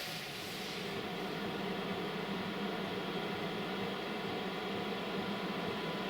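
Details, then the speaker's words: 5kW Chinese diesel heater newly installed in a Renault Trafic campervan, set to 19°C at 12°C ambient: a steady airy rush with a low hum builds gently as the blower picks up speed before ignition; normal startup. "I can just hear it said yeah that's coming through the vent just know it's blowing air but it's air just called it a moment here it gradually picking up speed"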